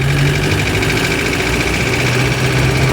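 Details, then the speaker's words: Van on a roughly 10 km test drive after its rusted petrol tank was replaced, non-original fuel pump: steady, fast diesel-like knock over the engine; engine knocking plus tappet noise, source not pinned down. "tu bunyi knocking enjin eh dah macam bunyi enjin diesel."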